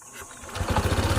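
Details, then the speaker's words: Honda ADV 160 scooter that had hard-start problems despite earlier costly shop repair, after scanning: catches on the first push of the starter and settles into a quick, even firing beat; normal start. "Ayan oh mga idol, one click lang start na siya."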